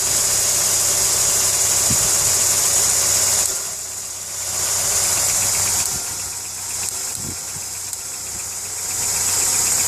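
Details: A VW Polo 6N2 idles with a steady light tick, about three or four a second, over a hissy background; the source is undetermined. It also has starter motor trouble, needing hammer taps to start, and the airbag light came on.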